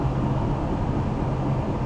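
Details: Tata Nexon EV while driving: steady low droning hum under road noise, louder than before, with no engine sound to mask it; caption suggests a worn wheel bearing, owner didn't confirm the cause.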